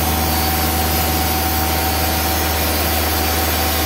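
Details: Timberking 2000 sawmill diesel engine making a cut with clutch engaged, after installing lube-system solenoid valve (water flowing): steady drone, even low hum, no knocks or misses; normal running under load.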